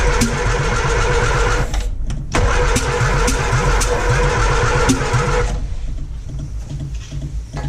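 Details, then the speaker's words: 1955 Morris Minor with freshly installed engine, plug leads set as 1, 3, 2, 4: steady starter cranking about four beats a second, never firing; crank no start from incorrect ignition firing order. "That's from bad to worse. 3, 1, 3. You've got 1, 3, 2, 4, haven't you?"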